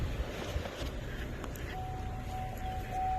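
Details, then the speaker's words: 2004 GMC Envoy XUV convertible power roof, after fitting a used replacement power roof module and running the learn procedure: one steady mid-pitched chime lasting about two seconds over a quiet background as the roof reaches fully open, which is normal. "you'll hear one more chime I don't know if you guys heard that or not but here we are roof is fully open as you can see"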